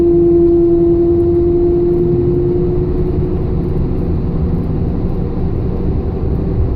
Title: 2002 S10 whinning/humming noise